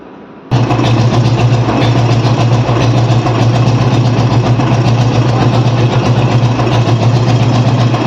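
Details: Royal Enfield Classic 350 after repairing a white smoke complaint, valves adjusted and oil flow to the valves checked: fires up and holds a steady, deep single-cylinder idle with no tapping or knocking.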